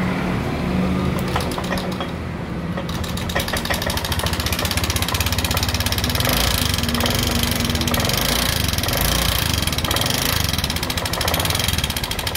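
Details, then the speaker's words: Honda Vario 125 injection scooter at idle: a harsh, fast clatter rides over the idle, sounding coarse and uneven; engine runs rough, cause still unknown before teardown. "Nah di sini ada motor Vario 125 nah ke dalam motor ini suaranya kasar Mari kita cek"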